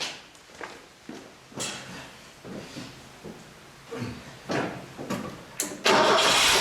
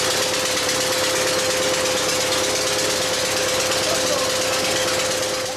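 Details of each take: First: Bobcat 632 engine rebuilt for blow-by, with a new piston and new rings, reinstalled: after a few clicks and handling noises it fires and holds a smooth, steady idle with no ticking or puffing, healthy after the repair. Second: Bobcat 632 engine after blow-by repair with new piston and rings, first runs: rapid ticking puff about three per second over a steady tone, a weird noise; exhaust manifold/muffler leak suspected after rechecking valve lash.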